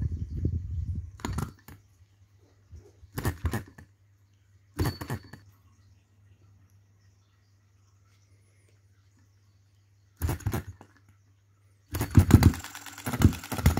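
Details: 2022 Enjomor Chinese hit-and-miss engine after piston ring replacement, valve timing correction and governor latch spring mod: short firing bursts about every two seconds, long coasts, then quicker firing; governor latch cycling properly, normal running.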